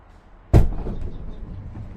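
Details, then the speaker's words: Ford Transit camper van conversion, sliding door after fitting the new interior panel: one solid thud as the door shuts, then a quiet low hum with no rattle or buzz; the door closes tight. "So I'm gonna close it to test the sound. You see how tight the sound is, so there's no rattling."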